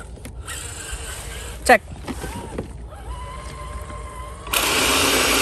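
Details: FS Racing Freemen RC crawler, stock except 3S battery: after the motor stopped, likely from mud getting into it, a thin steady whine then louder full-speed buzz as the small motor spins freely again.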